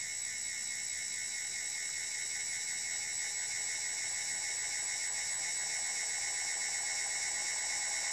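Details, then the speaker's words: Class D motor controller with AC synthesis on its first open-loop test, turning at a fixed software-set frequency; steady piercing high PWM whine with fixed tones, near the open-loop limit beyond which the motor would probably lose magnetic traction. "I'm almost at the limit of where it'll maintain the pwm cuz we we're open loop here that's it so that's at the limit"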